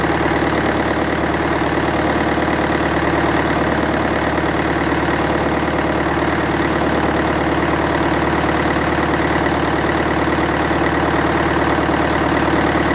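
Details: International 554 diesel tractor, not run for about 5 years, restarted: steady, even diesel clatter at a constant idle with no misses, knocks or surging; a healthy idle.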